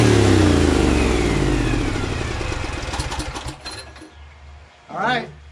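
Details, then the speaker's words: Briggs & Stratton Vanguard 23HP V-twin, engine running away after starting: screaming high revs even with throttle fully down and choke on, then dying off; owner suspects governor not connected, throttle lever not controlling it. Engine overspeed. "throttle all the way down, it still goes out of control with the choke still on too. That's worrying me a lot. Sounds like the governor is not connected."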